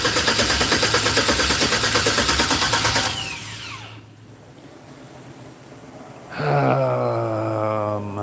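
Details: 1964 GMC, MAP sensor pushed on by hand while cranking: steady cranking then cuts out with no catch; spark checked earlier, possible fuel issue uncertain – cranks, no start.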